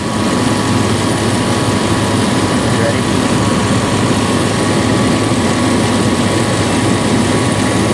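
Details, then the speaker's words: 1996 Dodge Dakota 3.9L V6 idling warm, about 110° air across the radiator to the thermal valve: a constant loud fan roar covering the engine that never eases; aftermarket fan clutch stays locked when it should slip. "okay go so you know that air temperature is way too low that fan should slip"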